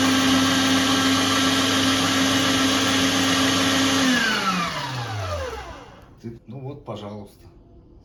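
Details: Meat grinder after home knife sharpening, knife fitted snugly to the plate: smooth steady motor whine for four seconds, then an even coast-down to silence at switch-off. Runs normally.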